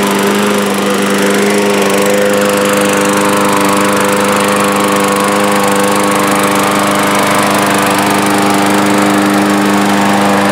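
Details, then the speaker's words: 2012 Murray lawn mower with a Briggs & Stratton engine, carburetor serviced and oil topped up: steady, even buzz at constant speed with no misses or surging; it runs well. "this one seems to run well enough and hopefully whoever I sell it on to its gonna have a nice little lawn mower"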